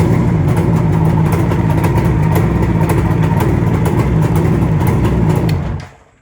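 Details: Vintage two-stroke motorcycle started on a new NOCO NLP14 lithium-ion battery after its old battery wouldn't turn it over: busy, crackly burble holds steady with even firing for several seconds before shutting off; running healthy.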